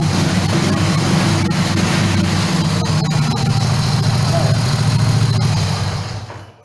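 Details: Honda Grand motorcycle engine with CDI-AC ignition (alternator supply, pulser trigger), electric-started without throttle during ignition system check; steady low putter at even idle, no misses or knocks, then dies away; healthy.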